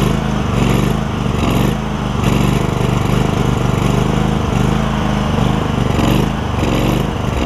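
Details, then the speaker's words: John Deere LX188 lawn tractor single-cylinder engine with new aftermarket carburetor, primed with carb spray: steady drone with slight uneven surge about once a second while dumping gas; carburetor flooding, original carb considered. "oh goodness I mean it is just pouring it out oh man it's almost makes me want to change the um work on the original carburetor"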